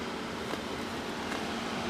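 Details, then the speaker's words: AMD Ryzen Wraith stock cooler fitted on an older AMD board, replacing a loud stock FX cooler: soft, steady airflow hum with no buzz or rattle; CPU fan running quietly and normally, much quieter than before. "Wow, that's significantly cooler, and it lights up crazy colors"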